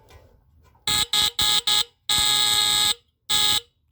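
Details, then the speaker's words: Tanita Mfg. Co. No 2 Fire Alarm (heat alarm, sounds at 145–165 F), battery fitted, triggered via bottom test strip: harsh high buzzing horn in short bursts then one long blast, steady pitch; pitch seems a bit lower than a similar unit; alarm sounder working. "sounds a bit lower anyways that's pretty cool um really interesting I'm glad they work"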